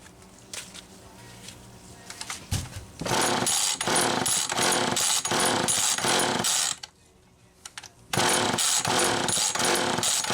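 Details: Homelite XL-2 two-stroke chainsaw after clutch and carburetor work, owner notes a leaking crank seal: revs up and bogs evenly into the wood, pauses, then cuts cleanly again; running properly under load.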